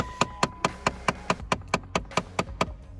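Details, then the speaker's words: 2013 Dodge Avenger with AC or heater switched on: fast, even plastic clicking from the dash, about four or five a second, from a failing blend door actuator. "that's when I turn on the car on when I turn the AC on or heater while it's on the thing here all right so what that is is the little cover that opens and closes"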